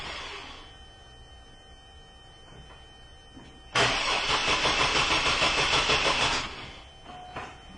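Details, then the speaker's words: 2002 GMC Jimmy with an intermittent no-start, battery weakening: about two and a half seconds of even starter cranking that never catches, with no RPM signal. No spark, with a cam or crank sensor problem suspected. "while it still had a little bit of a healthy crank we noticed that we don't have the RPM signal now so I'm really thinking we've got a camera crank sensor problem for sure"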